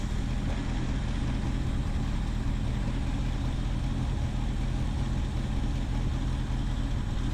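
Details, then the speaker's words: 1976 Ford Ranchero 500 V8 idling after new timing chain and oil pump install, radiator cap on: deep steady even burble, no knocks or misses, blow-by noted without PCV; owner says noticeably smoother; clean idle. "it runs great now with a new timing chain boy it really runs good I can tell the difference smoother you can hear and feel the cam doing its job"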